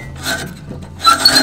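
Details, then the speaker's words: Reel mower during backlapping adjustment of reel to bedknife: two loud scraping rasps as the reel turns, grating hard against the bedknife; contact still set too tight. "So that's still a bit tight. A bit more maybe. Do a quarter turn."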